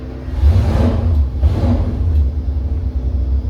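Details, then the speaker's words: Gen 2 LT1 350 small-block Chevy that sat nearly 20 years, first start on the dyno, probably with a locked distributor: a deep, steady V8 rumble picking up cleanly with blips, no knocks or misses. Runs healthy. "sounds good all right let's roll into it"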